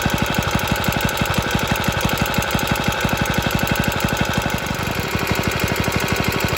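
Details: Rattly running from an extremely early 1954-55 Suffolk Iron Foundry Model 1A single-cylinder engine, started still cold on a substitute carburettor: even chuffing about three beats a second with a tinny rattle over each firing pulse, cause unknown.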